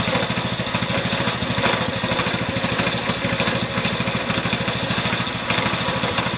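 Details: Go-kart small single-cylinder engine on first start after resurrection, no throttle linkage hooked up yet: steady, fast popping run with even beat and no misses; runs fine.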